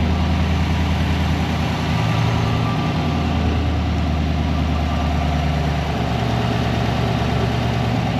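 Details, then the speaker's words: 2020 GMC Sierra Denali 6.2 V8 after replacing idler pulley and stretch belt to cure a whine: deep, even idle and light revving with smooth rumble, no whine or squeal; repair fixed the noise. "maybe it's just in my head let's rev it up a little [Music] bit it's gone that was it"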